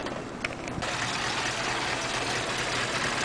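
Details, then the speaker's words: Ute running cold with no working choke (the replacement part was never fitted): an uneven, lumpy idle with no steady beat and the engine shaking. Worse on cold nights; the shaking stops once it warms up. "but it's got no choke, so it's a bit of a cranky bitch."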